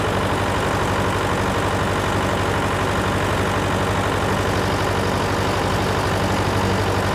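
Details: John Deere 401C diesel idling, with a cracked block and suspected liner O-ring coolant leaks. Rough, lumpy idle with an uneven beat and recurring stumble. A temperature gauge shows cylinder 3 not firing while 4 and the others are hot, so the dead cylinder is traced to a faulty injector.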